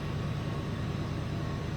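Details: 2000 Ford F150 4.6 V8 with P0301 misfire code, idling during scan-tool combustion test: smooth steady low rumble with no skips or stumbles; no cylinder misfires recorded, before load testing.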